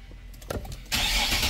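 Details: 2013 Infiniti with a no-crank no-start after long parking. The car was stuck in programming mode and the key was dead. Brief quiet clicks, engine catches cleanly and settles into a steady idle. Normal start.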